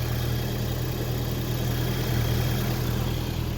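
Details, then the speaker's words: 2006 Audi A3 2.0T after valve cover gasket and spark plug replacement, earlier multi-cylinder misfires: steady low hum, even firing, no misses, ticks or knocks; healthy cold warm-up idle, enrichment just kicked down. "she once this warms up it's still in the uh warm-up enrichments oh there it just kicked down"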